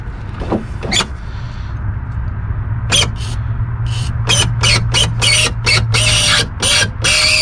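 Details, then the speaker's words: 2005-2009 Saab 9-7X/GMC Envoy power window, squeaking badly despite silicone spray: scraping squeal in short bursts as the glass travels, thin steady squeak near the end; owner unsure whether motor or blades, replacing the assembly. "now i am interested to see why it's squealing so bad i want to know if the squealing's coming from the motor or coming from one of the blades"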